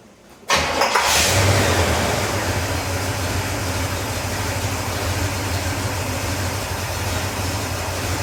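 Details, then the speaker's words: 1969 Pontiac Catalina V8 after tank repair, a new fuel pump and rubber fuel lines, carburetor returned to stock (may still need a rebuild): it cranks, catches and settles into a lumpy, slightly uneven idle. Owner suspects a possible misfire, unconfirmed. "I might have a miss or something, I don't know. But we're gonna start it up, let you guys hear it run"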